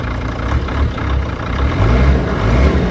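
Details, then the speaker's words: 2003 Sprinter van diesel at idle, glow-plug equipped, running after diesel additive: steady, low, even rumble with no knocks or misses. It smokes little and is not too noisy, so it is a healthy idle; a check-engine code is suspected to be transmission-related. "doesn't smoke too bad, not too noisy. Doesn't seem to scare the dogs, which is good."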